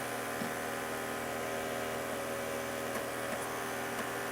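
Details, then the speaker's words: Computer CD/DVD optical drive mounted vertically on its side: steady spinning hum with a few soft clicks as it accesses the disc after closing the tray; reads smoothly and works fine. "and it works just fine. So yes, in case you did not know, your computer's optical disk drive can be operated on its side."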